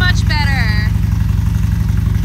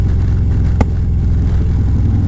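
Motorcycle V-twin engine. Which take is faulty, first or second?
second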